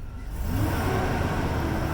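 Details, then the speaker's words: Truck with a slipping transmission, tested after adding Instant Shudder Fix: the engine climbs hard under full throttle in reverse but the truck still hesitates to pull; drive is fine, reverse is not fixed yet. "nope still got hesitation maybe it's got to work in a little bit"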